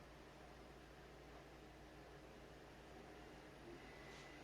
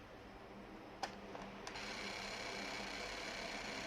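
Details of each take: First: PlayStation 2 slim with the lid-detect buttons pressed by hand: soft steady whir at even speed, no clicks, scraping or grinding. The disc spins up and reads the game. Normal disc drive reading. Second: PlayStation 2 slim disc drive during repair: a faint whirring buzz with a thin high tone after clicks as the laser sled motor strains. Laser sled motor grinding.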